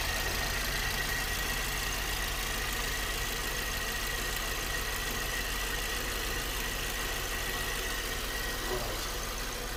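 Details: VW Polo 6 TSI at idle: light, uneven rattle from inside the engine over the steady run, judged to be timing chain noise.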